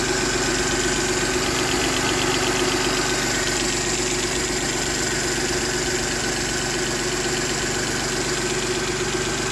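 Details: Mercedes M272 engine at idle: fast even ticking at about four per second over a steady idle, cause not determined.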